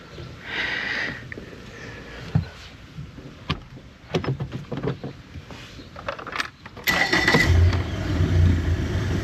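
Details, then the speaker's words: 2017 Mercury 90hp four-stroke Command Thrust outboard in guardian mode with a 6-beep alarm: the engine catches into an uneven lumpy hunting idle; the cause proved to be a bad IAC valve. "Alright, so I changed that sensor and it's saying it's clear now, but then it's still running rough. So I'm wondering about our fuel line or something, like filter maybe?"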